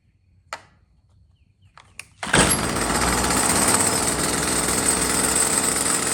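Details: Stihl FS45 trimmer that died after 15 minutes and wouldn't restart, after carburetor replacement, choke on: a few clicks, then the two-stroke catches and settles into a steady, even buzz with no misses; runs fine.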